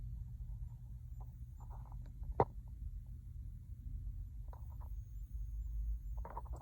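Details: 2021 Jeep Gladiator with the engine and heater off: faint short high chirps come irregularly every second or two; source not yet identified.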